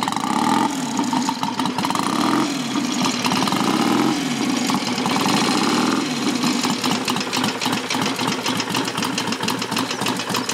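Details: Customer's motorcycle kick-started without choke, ignition advance set midway, little fuel in tank; engine not stripped. It catches cleanly and settles into an even, steady beat with no knocks or misses: healthy.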